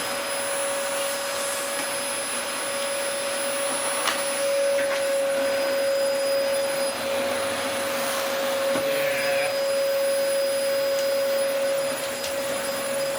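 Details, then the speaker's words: Early-2000s Dyson DC04 special edition vacuum, first power-up after reassembly: steady high even motor whine without surging or bearing noise; runs fine, suction acceptable, filters clean, but the brush roll has no drive. "That runs absolutely fine. The suction is perfectly acceptable. The filters are very clean."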